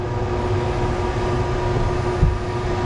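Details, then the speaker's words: Cruisers Cantius 50 yacht with a newly installed replacement Dometic air conditioner, AC water pump on, mode cool, fan turned up a couple clicks: a steady airy rush over an even low hum. The blower fan runs normally. "now let's turn on mode cool here comes the fan I'll turn up the fan a couple clicks go in here you hear it blowing that's a bonus"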